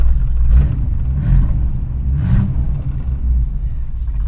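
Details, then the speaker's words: 1986 Chevrolet Suburban Silverado, 305 (5.0 L) small-block V8 with 700R4 automatic, arriving home after a 51-minute drive: low, lumpy idle with uneven surges over a deep rumble and shaking; owner suspects a vacuum leak. "yeah it doesn't sound good it hurts shaking let's get out and see what it's doing here"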